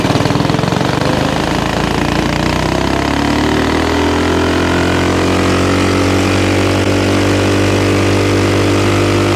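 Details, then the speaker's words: Axis/Coleman M200 mini bike, 196cc single, tuned 22mm Mikuni carb with needle raised, exhaust, governor delete, flat out at about 31 mph GPS max: winds up, then holds a flat, strained note and won't climb; owner suspects stock valve springs floating. "Now, I think the biggest limitation we've got is the valve springs keeping us back from from higher RPM. I think we're getting a ton of valve float."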